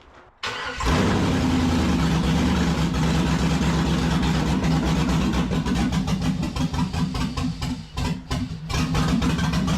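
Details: LS-swapped (5.3) 1948 Dodge pickup after replacement injectors and reprogramming: cranks and fires into a loud, uneven, smoky run, then stumbles and sputters as if fuel-starved and stalls; something possibly left unplugged, e.g. mass airflow or O2 sensors.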